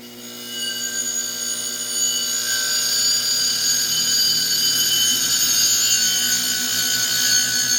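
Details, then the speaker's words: Hand-spun car idler pulley with new bearing, checked for trueness before reinstalling: smooth, steady high ringing spin with no grinding or rumble; the bearing runs freely and true. "that's spinning pretty good yeah all I did was just spin it up and you can feel it if if it's out around you can really feel it"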